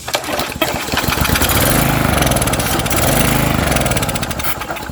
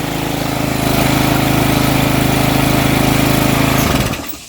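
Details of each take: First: Troy-Bilt edger 25B-554M711 with a Briggs & Stratton 500e engine, after carb cleaner was sprayed in: it fires and runs a few seconds with surging revs, never settling. Fuel starvation; the carburetor is being replaced. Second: Troy-Bilt edger model 25B-554M711 with a Briggs & Stratton 500e engine (09P602-0076-F1), after carburetor cleaning and priming: the small single-cylinder engine catches and runs at a steady, even fast chug for about four seconds before shutting off; healthy running.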